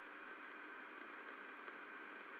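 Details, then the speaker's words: Extruder heard through ultrasound inspection after repair: steady, even hiss with no impacting or rattle, after the missing bolt/nut was fitted to a loose plate that had been rattling. "no noise problem"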